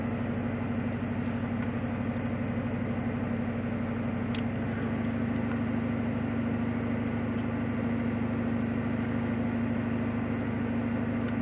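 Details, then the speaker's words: 1995 Ford Mustang GT V8 (OBD1) during cylinder balance test after one wide-open throttle tap, computer cutting fuel and spark per cylinder measuring RPM loss: even steady hum at raised speed, no misses or knocks. "it's going to cut Fuel and Spark to each of the cylinders and record the RPM loss and do some calculations and it's going to tell you whether or not all the cylinders are firing the same and Power"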